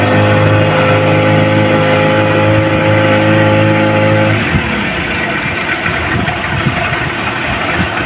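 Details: Yamaha 15 hp outboard, hard to start and no power at full throttle: steady flat drone turns rough and ragged with no pick-up; caused by a weak ignition coil and a clogged carburettor, before repair.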